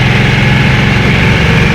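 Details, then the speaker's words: Harley-Davidson Nightster V-twin with stock exhaust, cruising on a twisty Bugak Skyway hill road: steady, deep, even thump with no ticks or rattles; a healthy stock exhaust note with good pulse, considered fine without a custom muffler. "자, 지금같이 고동감이 있죠. 커스텀을 하실 분들은 또 하시겠지만, 굳이 안 해도 괜찮은 사운드입니다."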